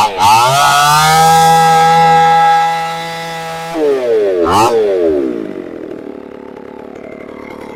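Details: Chainsaw after a new carburetor was installed, air cleaner off and choke off: screams at a clean, steady high rev, drops back, blips once and settles to a smooth idle.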